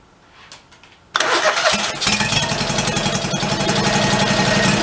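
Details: 1991 Craftsman GT garden tractor, after fresh gas and priming: after a quiet second it fires straight up and settles into an even, steady idle with no stumbling; engine running normally.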